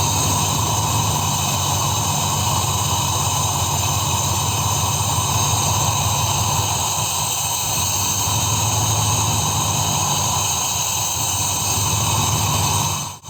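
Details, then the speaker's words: 2002 Dodge Ram after an engine wash, water suspected in the coil/spark plug wells: check engine light flashing, rough lumpy idle with exhaust hiss; unplugging the coils on two cylinders causes no change, so those two cylinders are not firing. "Si desconecto la bobina y no se escucha ningún cambio, la vuelvo a conectar y es lo mismo, no se produce ningún cambio en el motor. Eso me diría que ese cilindro no está trabajando, no se produce la combustión en ese cilindro."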